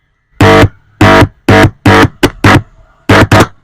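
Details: Intex home theater with one weak speaker: touching the right-channel amplifier IC's audio input pin gives eight loud buzzing bursts from the speaker, showing that IC and channel work normally.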